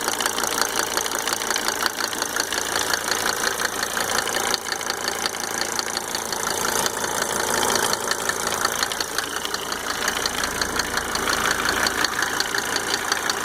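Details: Mercedes 300D W124 2.5 L diesel idling after installing five newly rebuilt injectors with Monark nozzles: sharp, fairly regular tick about three per second over the clatter; source undetermined.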